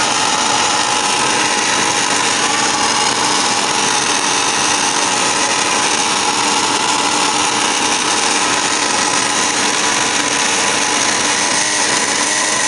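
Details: Furnace on start-up: a steady, unchanging whirring grind with no rhythm or pitch change, heard as blower motor noise; cause not evident.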